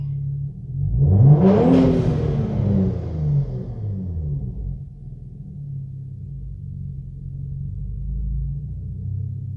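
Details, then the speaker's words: Vsport, blow-off valves at their factory setting after adjustment, free-revved: revs up, then a short sharp whoosh as the throttle snaps shut, and the blow-off valves are still heard venting. Normal blow-off valve venting. "well i said it's factory setting so i guess i can't complain too much but i still hear the pull-offs out so i guess everything's good"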